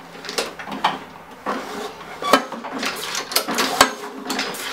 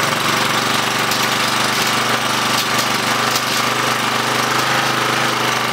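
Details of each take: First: Craftsman 917371722 mower with Honda GCV160 engine, curb find that won't start: engine off, scattered clunks and clicks as the starter rope is pulled, owner suspects the blade hitting a bent deck. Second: Curb-found Craftsman 917371722 mower with Honda GCV160 engine after cleaning the dirty carburetor and adding fresh gas: steady, even single-cylinder drone with no misses, surging or knocks, and no smoke; it runs great.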